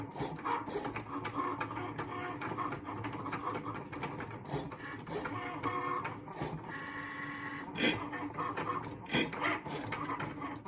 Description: Grinding noise when the blade is near the middle, from first use.